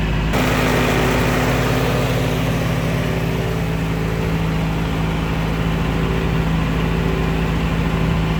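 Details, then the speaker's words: Willys Jeep first start after about six weeks, top covers off: even, settled idle, much quieter than before, with a light tappet tick still audible. Earlier noise partly tappets, mostly timing chain, per owner. "quiet idle now much much quieter you can still hear some of that noise so it was some of it is the tappets but I think a lot of it was the timing chain as well so it's sounding pretty good nice to tick over there"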